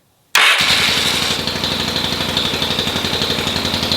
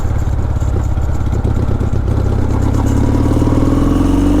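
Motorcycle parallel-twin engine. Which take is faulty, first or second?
first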